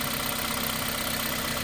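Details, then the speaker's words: 2006 Toyota Corolla with rough idle and vibration, after replacing faulty ignition coil: even, steady idle with no misfire stumble or shake; normal idle. "so Ayan guys after natin palitan ng ignition coil tumining na ganun lang na-diagnose na ganong issue"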